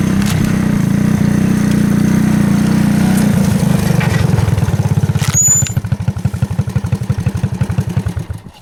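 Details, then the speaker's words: 1984 Honda ATC three-wheeler, single cylinder, after carburetor cleaning of a clogged main jet: pulls steadily under load, then slows to loose even chuffing about three per second as it winds down. Normal running. "It runs, it moves."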